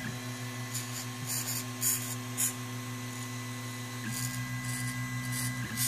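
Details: Makerfarm Prusa i3v 3D printer while printing: irregular dry creaks over the steady stepper hum; owner unsure of the source but suspects the extruder gears, with no sound when moving the XYZ axes.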